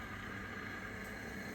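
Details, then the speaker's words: Samovar after thermostat repair, connected to electricity: steady even rushing hiss of water heating with no clicking, crackling or buzzing; now working, heating normally. "And now it's working."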